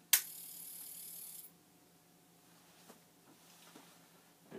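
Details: Commodore 1541 disk drive that spun endlessly, after reseating ROM chips; brief whirring hiss about a second after switch-on, then quiet with faint clicks; drive motor stops as it should.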